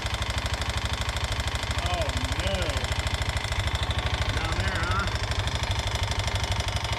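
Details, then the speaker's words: 1988 Honda TRX125 quad single, just restored to spark with a pit bike CDI, knocks sharply about three times a second at idle; owner suspects a rod bearing or crank problem. "That sounded like Oh, boy. Did that sound like a rod bearing or a crank problem?"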